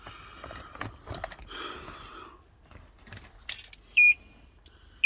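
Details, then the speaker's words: Hybrid with the 12 V battery in the boot, during battery replacement, with a wireless memory-saver box plugged into OBD2: two short high-pitched beeps about a second apart, warning that the battery voltage is far too low. "already he beeping at as lot cuz the batter is way too low so this is the good thing about this it's going to beep at us even if we have an issue with our battery we putting in"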